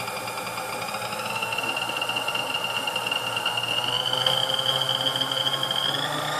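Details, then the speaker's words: Vintage Sunbeam Mixmaster Model 11 after service including field coil removal and lead extension; smooth, even whine climbing in pitch through the speeds, no rattle or hesitation, full speed range working. "as we got full range of speeds now it's sounds good runs good"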